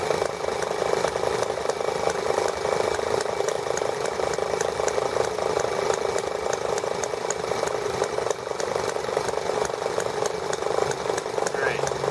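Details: ET8 model engine running for the first time since carburetor work, main needle about half a turn open; high fast steady buzz with constant pitch, no stumbles or surging; started easily and ran smoothly throughout.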